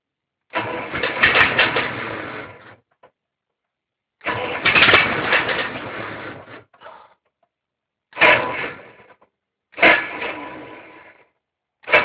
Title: Case 770 gas hard start